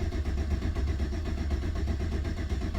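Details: 2009 Chevy Silverado 1500 4x4 5.3 V8 cranks at normal speed but never fires. Fuel pump not running during prime or cranking, with intermittent loss of communication to the fuel pump driver module, later found water-damaged and replaced. Cranks but no start.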